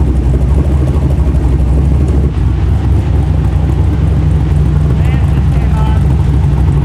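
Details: LS V8 (LS3 tags) in a rock buggy build at first start after prep, owner's tune loaded, header hot: deep, steady V8 rumble, even idle without stumbles, knocks or hunting. Idling better than before; small leak noted, transmission fluid likely low.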